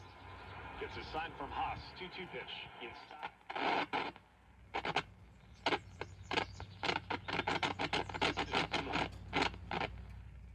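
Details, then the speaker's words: 1951 Admiral model 5J21 radio: reception broken by rapid bursts of scratchy, rasping crackle while tuning the dial; suspected rubbing tuning capacitor plates. "Uh kind of sounds like we've got another rubbing uh banana slicing tuner thing."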